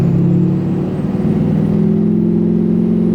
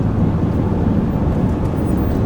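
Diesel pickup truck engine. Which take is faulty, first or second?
second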